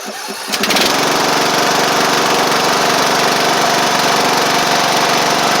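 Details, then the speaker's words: Sabre riding mower after head gasket and belt work: engine catches after a brief crank and settles into a steady, even run with no knocks or misses; runs well, with slight oil burn on startup. "it's running good it's still little bit of oil burn on Startup"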